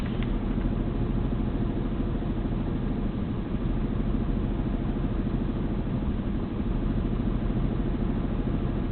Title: 6VD1 rough idle